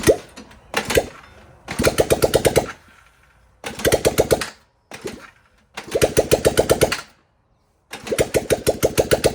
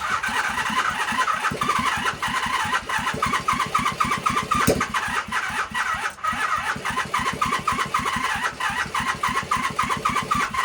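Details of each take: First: 1978 Honda CB400A Hondamatic 400, revived after 10+ years outdoors, after carburetor rebuild with new jets: catches in short runs with quick, even putter and clean blips, settling between stops; now firing properly, normal running. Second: 1978 Honda CB400A Hondamatic that sat outside 10+ years, softened parts refitted: the starter spins steadily near four turns a second with faint catches that never take, like it wants to go; missing carburetor springs.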